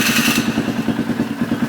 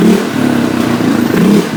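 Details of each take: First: Polaris Sportsman 500 single-cylinder ATV after carburetor rejetting, even fast settled idle around 1250 rpm with no hunting or surging, possibly running slightly rich by design; normal idle. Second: Polaris Sportsman 500 after carburetor rejetting: a few revs, then steady slightly soft, burbly single-cylinder idle around 1250 rpm; running a touch rich as intended, not fully warmed up.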